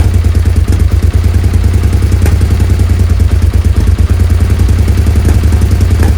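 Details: Suzuki SV650S V-twin, carbs freshly cleaned and refitted, idle readjusted, before carb sync: lumpy, uneven idle with irregular pulses and clattery top end; still rough, throttle lags; owner suspects unsynced carbs and possible leaks around carbs.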